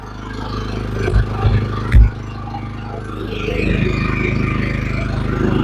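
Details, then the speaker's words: Champion 3400W inverter generator started right after installing a through-wall exhaust kit: a few clunks, then it catches and builds to a steady, even hum with no surging. It runs normally and is fairly quiet with the cabin door closed. "When I close the main cabin door, it's fairly quiet. Quiet enough."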